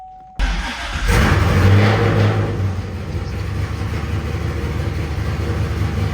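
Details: Cammed 500+ hp 2012 Camaro SS V8, TR6060 manual, first start after clutch change, oil change and rear main seal reseal, checking for leaks: cranks briefly, catches and flares, settles into lumpy deep idle with steady firing; healthy, no knocks or squeals.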